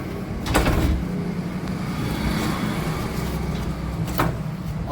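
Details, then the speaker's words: Royal Enfield Bullet after replacing the cut main-stand rubber (oiled and hammered in): idling bike taken off main stand gives only dull thuds, the clanking noise gone. "Friends जो आवाज आ रही थी वो खत्म हो चुकी है"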